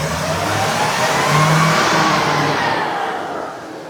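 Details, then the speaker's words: 2017 Ford E-450, 6.2 engine, after repair of P0301/P0306 cylinder 1 and 6 misfires, revved: even, unbroken roar up and back, no stumble or popping; misfire graph normal, runs cleanly. "no es nada lo que lo que subió para positivo pero eso es normal porque estoy acelerando cierto"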